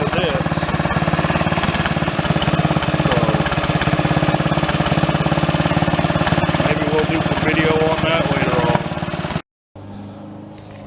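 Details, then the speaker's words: Mid-1980s Snapper commercial rear-engine rider, 11 hp industrial Briggs & Stratton L-head single, revived after four years parked outdoors: steady running with irregular pops and spits through the exhaust; owner suspects ignition needs work, motor otherwise sounds good. "the ignition system probably needs a little work it's popping and spitting"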